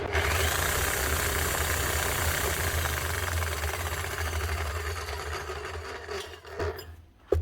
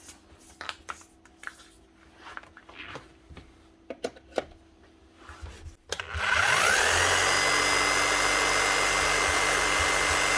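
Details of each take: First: Old ex-hire electric hammer drill, bottom bearing previously replaced: rough, uneven rattling hammer blows about four a second, then it winds down; a worn armature top and crank gear are suspected. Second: Bosch rotary hammer, about 10 years old, after fitting new brushes (1617014144) and blowing out dust: motor spins up to a smooth even whirr with no more hunting; service light off.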